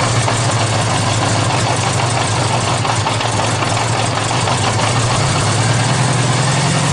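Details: Honda GL1100 cold start without choke; steady fast idle with a busy rattly clatter over the low drone, noisier than it should be, cause unclear; noisy cold idle.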